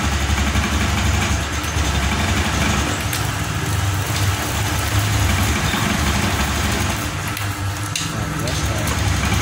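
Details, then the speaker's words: Honda Scoopy 2021 scooter at idle, still uneven and chugging with ragged pulses and dips near stalling, even after a new spark plug and a new non-original injector; fuel pump normal. Misfire from the faulty aftermarket fuel injector. "Oke, busi sudah kita ganti, kok busi sudah kita ganti baru, dan injektor ini yang baru juga, namun di sini masih berbet."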